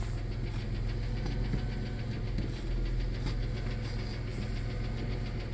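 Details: 1993 Plymouth Grand Voyager SE, revived after 18 years parked, idling after a repair: steady low idle with an even beat and the earlier vacuum hiss gone; it sounds normal, though a rear brake line is still missing.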